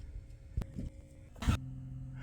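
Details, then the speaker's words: Toyota T100 pickup (frame broken) during a start attempt after the fuel-injection breaker was wired up: a soft thump, then a steady low electric hum as the fuel pump primes and runs. The truck previously had massive fuel leaks. "can hear the fuel pump running Oswald you're not helping buddy"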